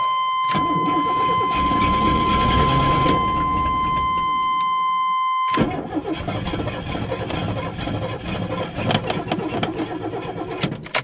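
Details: Long-sitting Chevy S10 with a little gas poured in carburetor and tank, battery installed: after a steady chime the starter cranks in an even chug about three times a second but never catches; crank, no start, choke position unchecked.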